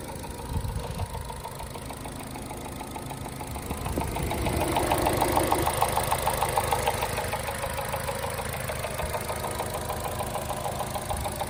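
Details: Phaser (cam phaser) knock at idle: light, even knock ticking roughly three times a second over a steady idle from the top end; exact source unconfirmed.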